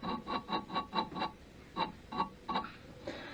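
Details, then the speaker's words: BSA Bantam D3 engine during rebuild, crankcases split: a bearing turned by hand gives gritty, uneven clicking, suspected rough; all bearings likely to be replaced. "That I want to get out because that bearing sounds a bit, you'll probably hear it,"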